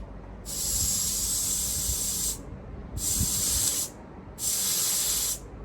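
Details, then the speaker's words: Peugeot 107 A/C, R134a DIY regas kit, gauge off the scale: three sharp two-second hissing bursts as refrigerant is vented through the low-side valve; system overcharged, gas released to relieve it. "now you can see that there as I'm letting that gas out. We've got absolutely loads in there. So we must have really overfilled it."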